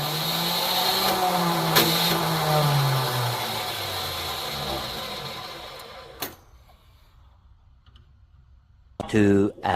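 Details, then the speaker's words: Neglected 1972 Plymouth Fury I: laboured cranking whose pitch sags over about six seconds without catching; owner thinks the starter is junk and fears torque converter damage. "I think that starter is junk. I'm not going to try it anymore because I probably already hurt the torque converter."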